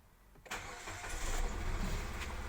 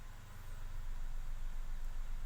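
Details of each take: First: Nissan Almera with code P0302, cold engine just started for the first time, before coil replacement: shaky, uneven idle with a stumbling beat from a cylinder 2 misfire caused by a faulty ignition coil. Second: Nissan Almera with code P0302 (cylinder 2 misfire), after fitting a new ignition coil: steady, even low idle hum with no stumble, idle speed dropping. Normal idle.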